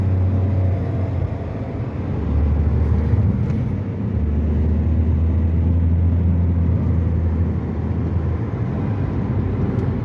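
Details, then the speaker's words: Toyota Vitz after CVT oil change for poor pickup, jerking and engine light: steady low engine drone under road rumble, smooth with no stumbles or jerks; healthy acceleration. "माशाल्लाह गाड़ी की पिकी भी बहुत अच्छी हो गई है झटका भी नहीं मार रही है सहित भी ठीक कर रही है और इंजन सही भी नहीं ए रहा"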